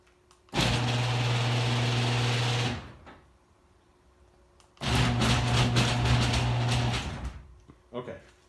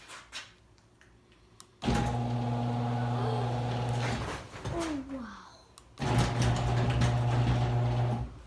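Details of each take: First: Screw-drive garage door opener before the screw is wiped and greased: it runs in two bursts with a loud buzzing hum and harsh rattle, a dry drive screw. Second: Screw-drive garage door opener after wiping the screw and applying the opener maker's grease: motor runs in two smooth, even stretches with a steady low hum, no grinding or chatter; sounds properly lubricated.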